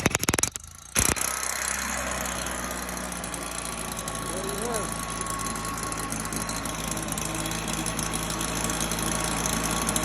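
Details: Stihl BR 340 backpack blower that wouldn't start; a flooded carburetor was suspected and it was reassembled. Now a steady high-pitched two-stroke buzz holds an even idle with no misfires or surging, running normally.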